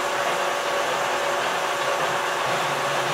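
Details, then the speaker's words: Boring bar chatter while boring a worn bearing race bore on a four-wheel-drive 690 loader steering knuckle set up offset on a lathe, taking 0.025 increments before brazing: a steady mid-pitched ringing hum over the cutting noise, with the bar hung out too far. "you can hear a little chatter we're going to put our other B Bar in here when it comes to finishing"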